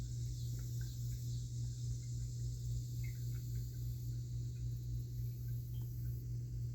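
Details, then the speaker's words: Well pump running just after a new pressure tank was installed (old tank and pressure switch were worn, making the pump run too much): low, steady hum while pressure builds, expected to shut off around 50 psi. No leaks, normal. "and i can hear it still running it's humming just a little bit it should shut off about 50."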